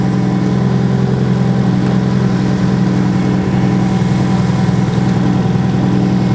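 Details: Car started by booster pack, then disconnected for a charging-system check; alternator output measured at 14.5 V, a good output. Steady, even low hum with no knocks, misses or squeals; healthy engine idling smoothly.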